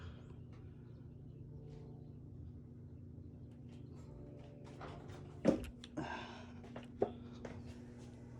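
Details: Genie garage door opener after carriage/latch replacement, which fixed earlier grinding and failure to open: quiet, even motor hum as the door travels, then a few soft clunks at the stop, with no grinding or skipping. It runs properly.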